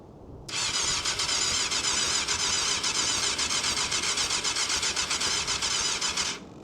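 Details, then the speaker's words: 1998 Yamaha YZF600R Thundercat, sat since 2013: starter churns steadily about four pulses a second for six seconds, nearly catches but never fires; carbs suspected of starving it, rev counter fluctuating, possibly a fault code. "That sounded like it wanted to go. No. >> Yeah, it's chuff."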